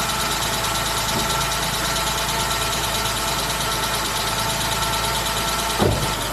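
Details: E60 BMW started after sitting about two weeks, with its dead battery charged and the intake reinstalled: steady, even idle under a loud cooling-fan rush, with no knocks or misses; the engine sounds healthy.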